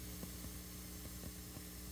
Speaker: okay so here's my little weird noise problem here you can hear this just going to turn the gain up a little and hear that kind of popping